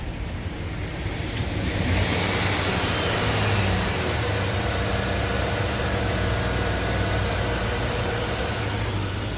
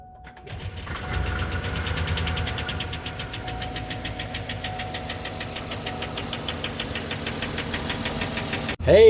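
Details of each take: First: Chevy Suburban 5.3L V8 at idle on first startup after AMSOIL power-cleaning trio, flush and oil/filter change; oil pressure above 40. Steady, even idle with smooth low hum, no knocks or ticks; sounds healthy. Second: Chevy Suburban work truck that was run low on oil, at idle: fast, regular ticking knock riding over a steady idle; low-oil engine knock, internal cause not confirmed.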